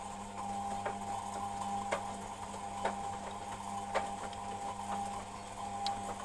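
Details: Beko WMP 601 W 6kg 1000 rpm A+ washing machine: a bit of a grinding noise, a dry scraping tick about once a second over a steady motor hum, while the drum turns; it doesn't seem to do it when spinning.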